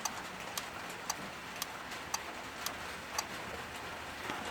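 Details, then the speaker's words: Aftermarket keyless entry kit on a Ford AU Falcon, fourth fob button activating find-car mode with hazards flashing. Crisp, evenly spaced clicks about twice a second from the keyless entry box relay. Normal ticking. "And the last one that they don't give you is just, you'll hear the keyless entry box ticking away. That's for find the car."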